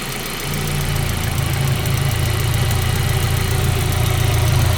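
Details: 1.8T engine idling: light rapid tick about three or four per second over the low hum; cause not clear.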